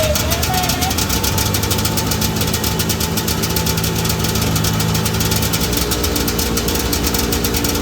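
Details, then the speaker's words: 1982 John Deere Liquifire 440 liquid-cooled two-stroke snowmobile, a barn find that sat at least 20 years, just revived. Loud, rough running on both cylinders with a buzzy exhaust and heavy vibration; it runs, though the throttle cable is partly broken and hangs up. "Looks like the Liquifire was on fire, but she's a runner."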